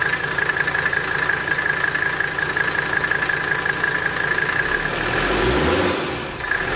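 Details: Mercedes W123 turbo diesel after removing original air intake, turbo wheel has no play; steady idle clatter with clean constant high turbo whistle, then brief blip: normal turbo whistle at idle.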